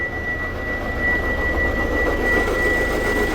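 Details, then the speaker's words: 2008 Hyundai Santa Fe CM, 309,000 km, at start-up: steady high whine over very loud harsh grinding/scraping from the engine at idle, heard as soon as started; traced to failing power steering pump. "그래서 아주 시끄러운 긁 는 소리 가 나 요 . 아주 큰 갈리는 소리 ."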